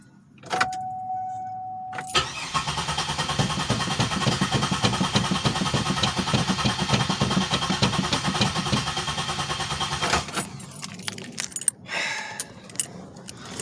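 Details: 2007 Pontiac Grand Prix with fueling issues and misfires: starter chugs steadily for about eight seconds with no catch, then stops; cranks but won't start. Owner suspects spark plugs fouled from running rich.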